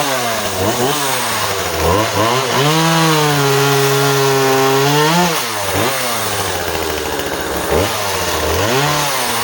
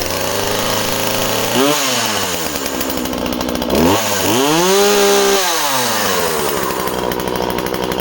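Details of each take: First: Husqvarna 136 project chainsaw, two-stroke, cutting small softwood: revs free, pulls down steadily through the cut and recovers cleanly; cuts well, chain could use sharpening, and the owner hears slight leaning out at the end, carb likely needs going through. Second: Husqvarna 136 project chainsaw, two-stroke: starts and runs well, revs up and drops back twice with a crisp high buzz; the owner thinks it sounds a touch lean and may richen the carb slightly.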